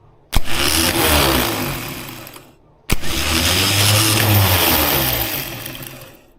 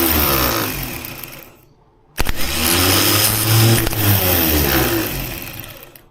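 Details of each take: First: Freshly rebuilt engine of a 1976 BMW 2002, starter just installed and wired to a battery: two short bursts of a harsh, high-pitched starter whirr with a dry rattle, no firing; the drive was unlubricated, then oiled. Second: 1976 BMW 2002, freshly assembled engine, newly fitted starter run after oiling its drive: whirs, fades, then spins strongly and evenly with no grinding, ready to turn the motor.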